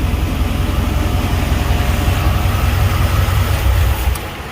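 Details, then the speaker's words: Chevy Caprice box with LT1 V8 at idle after an exhaust leak fix with RTV sealant near a weld; steady, deep, even low rumble with no ticking or puffing, then fading; leak sounds fixed, normal idle. "Oh yeah, it sounds way different. I can tell. I don't know if y'all can tell, but I can tell definitely. Oh yeah, that's a definite fix right there."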